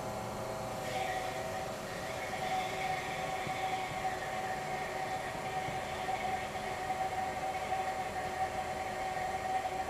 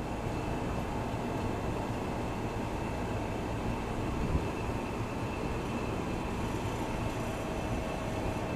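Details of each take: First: Old GE Monitor Top CK-2-C16 refrigerator, first test run after charging with three cans of R152A: quiet steady hum, faint constant tone, no knocking; a different noise, evaporator getting cold, about 175 PSI high side, running normally. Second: Old General Electric Monitor Top refrigerator CK-2-C16 switched on for first time: steady low hum with faint whine, rough and uneven; compressor runs but sounds unhealthy, no heat felt, motor load decreasing; cause unknown.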